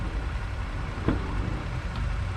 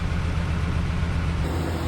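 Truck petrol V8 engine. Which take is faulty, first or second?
first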